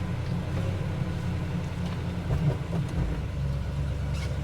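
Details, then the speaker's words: Plymouth Barracuda Mopar, cold first start after tyres and tuning were done, driving under way: deep, even rumble with steady low pulses and no knocks or misses. Normal, smooth-running engine; the transmission shifted oddly and the fluid may be low. "Anyway, the solicitor will start up. Look at that. Oh, sounds good. Nice and smooth."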